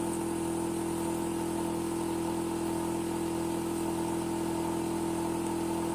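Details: Hitachi air conditioner outdoor unit: a constant, loud droning hum with a firm mid tone and no cycling, running noticeably noisier than it should; cause not evident.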